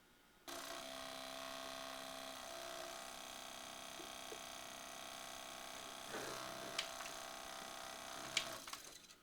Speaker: This is how to fix your Pioneer DV-440, a DVD player from 2001, for making a grinding whirring sound.